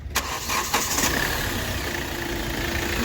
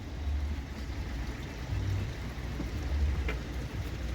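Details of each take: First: Hyundai i20 petrol after repair of an open injector circuit that had caused knocking, misfire and poor pickup: starter clicks, then a steady, smooth, even idle with no vibration. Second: Hyundai i20 petrol engine at idle with uneven stumbling low thump and shake, misfire; scan shows injector circuit open fault on one cylinder, traced to broken injector wiring; AC won't engage and no pickup.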